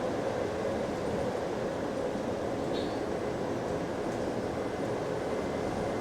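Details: Recorded on a GAL EBD67 bus on route SL4 after the creaking suspension was fixed: an even road and drivetrain rumble with no squeaks or creaks over bumps. The suspension is healthy.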